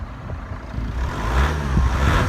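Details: 2003 Chrysler PT Cruiser CRD diesel, just started after replacing the alternator and serpentine belt: idles low, then rises smoothly on the throttle with a clean steady note, no squeal or rattle; sounds healthy.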